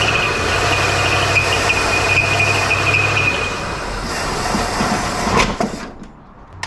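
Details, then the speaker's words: Barn-find 1972 Chevelle V8 with points ignition during old-school tune-up, timing being reset (6° initial tried); thin high squeal rides over rumble for a few seconds after start then fades, a new noise, suspected water pump or belt. "What's going out? A water pump, you said? It sounds like it. Something's squealing, which is a new noise."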